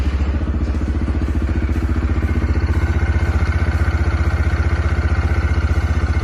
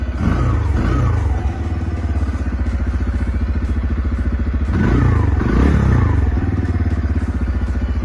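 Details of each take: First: CF Moto Papio XO-1 mini bike, about one week of use, idling cold at standstill: steady, even thumping with a low, smooth exhaust and no knocks, normal. Owner says odd, annoying engine noises appear once the engine gets hot while riding. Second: CF Moto Papio XO-1 single-cylinder minibike at idle once warm: light, fast ticking clatter over the beat with a couple of blips; fine when cold, strange metallic noises when hot, cause unknown; engine ticking when hot.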